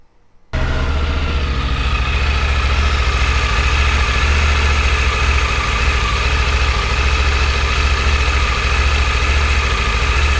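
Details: Triumph Tiger 900 GT Pro, about 10,000 miles, cold after a week unstarted: fast, even cold idle with light steady mechanical tick; cam chain noise sounds normal.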